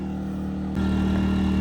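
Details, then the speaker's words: Generator running choked on homemade corn alcohol fuel under a 750-watt charger load: steady, even low hum that steps up firmly as load comes on, with no hunting or misfire. It sounds good and runs cleanly with zero smoke. "But it sounds good, and that generator smells sweet."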